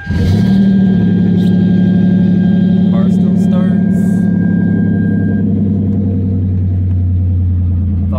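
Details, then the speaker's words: Hyundai Genesis Coupe 3.8 stock engine, turbocharged at 10 psi, cold start: lumpy idle with uneven stumbling beat about four times a second; cylinder 2 burning oil, low compression, blue smoke misfire, engine blown. "cylinder two decided it wanted to drink some oil yeah that means low compression uh blue smoke misfires as you're about to see in this clip"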